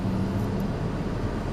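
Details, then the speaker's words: Honda Civic 2.2 CTDI after the wheel was taken off (a stone possibly fell out): steady low road and engine rumble while driving, rear squeal now gone. "no more squeals definitely no squirrels that's it all right job done"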